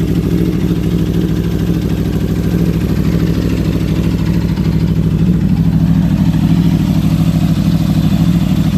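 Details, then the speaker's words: 2015 Aprilia RSV4 V4, 4,600 miles, already warmed up: a smooth steady idle with a light, even valve clatter over a deep rumble. This is normal V4 valve noise, and nothing is wrong. "that's just natural sound from the v4 and from the Aprilia that we have so I just want to share my Aprilia sound just to prove that there's nothing wrong that's how it's supposed to sound"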